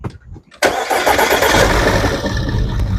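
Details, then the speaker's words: 2011 Audi Q5, CDNC engine, codes P0301/P0302, broken ignition coil connector locks: cranks briefly and fires, then a lumpy, uneven idle that stumbles irregularly and sounds horrible; severe engine misfire with stalling after start. "Okay, it started up, but it definitely is sounding horrible."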